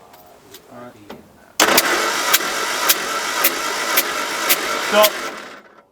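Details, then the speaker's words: 1979 MG Midget 1500 during head gasket job, throttle down: starter cranks steadily at about four beats per second without firing; engine turns over but doesn't catch. "All right, Ben. Uh, throttle down and crank it."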